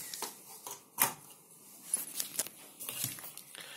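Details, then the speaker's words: Cheap clip-on lamp: irregular sharp snaps and crackles as the lamp flickers and sparks; the fault is not the bulb but the wiring of the lamp's socket fitting. "что лампа моргает и искрит слышно что здесь что-то искрит дело не в самой лампочки дело в электрике вот этой арматуры"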